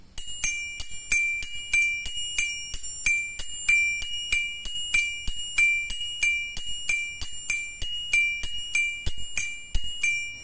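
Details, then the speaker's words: Bell-type mechanical flasher for an old car's turn signals: an internal rocker relay strikes metal, giving steady bright bell-like pings about ninety-five a minute; normal bell-type flasher chime, can be muffled by taping the large opening. "di dalam ini ada mekanisme relay jungkat-jungkit yang memukul besi sehingga menimbulkan suara kayak bel nah gitu ya teman-teman"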